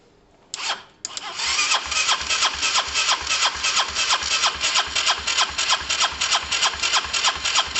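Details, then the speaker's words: Honda SH125 scooter, start attempt after a new relay: starter cranks with an even chug about three beats a second, with an odd kick like compression overload, but never catches; fuel may still be getting around. "that was interesting guys there was some sort of kick there was some sort of kick something um i'm gonna try again a couple of times in case it's just all the fuels just getting around"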